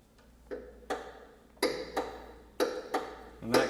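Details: Bicycle pedalled after tightening one side of a loose bottom bracket: sharp knocks in pairs about once per pedal turn persist, worn or loose bottom bracket bearing suspected; next step is tightening the other side.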